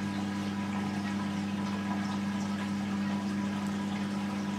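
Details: Whirlpool dishwasher with fault code 4, after clearing the blocked drain pump and cleaning the filter: steady low hum with water gurgling through and no rattle or grinding; drain pump pumping out cleanly.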